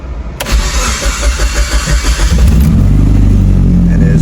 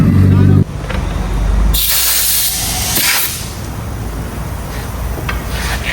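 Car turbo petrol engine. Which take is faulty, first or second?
second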